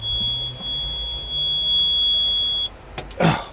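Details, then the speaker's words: Yamaha four-stroke outboard with 6Y8 (Twin LAN) gauge: a constant, unbroken high-pitched squeal alarm sounds when starting with the kill-switch lanyard pulled, meaning the lanyard must be refitted (an intermittent alarm would mean water or oil), then cuts off. "If you have a Yamaha and an alarm goes off, don't think it's broken. A constant one like that will tell you that,"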